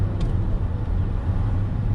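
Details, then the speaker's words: BMW E39 540i V8 driving after replacement of the whole driveshaft: a steady, low road rumble with no clunks, thumps or vibration; the driveline is quiet again. "Yeah, it's just quiet, man. This thing is back."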